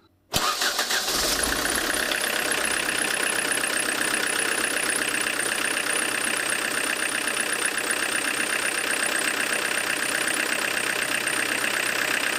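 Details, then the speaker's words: Diesel with Lucas DPC injection pump, timing set near original TDC mark, slightly retarded, in closed garage: starts and settles to steady idle, slightly hard clatter but even rhythm, minimal smoke; normal idle after injection timing adjustment. "Дымность минимальная, жестковато, но терпимо, работает он."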